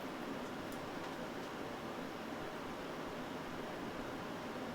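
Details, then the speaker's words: Fractal Design Mood Mini-ITX PC, dust filter replaced, fans at full speed: AIO fans 1900 RPM, 180mm case fan 1200 RPM; CPU 88°C, GPU 74°C: soft even airy hiss, no ticking or buzzing; normal. "For our third test, we replaced the dust filter and ramped the fans to full speed. The AIO fan's now running at 1900 RPM, the 180mm case fan at 1200 RPM, and that sounded like this."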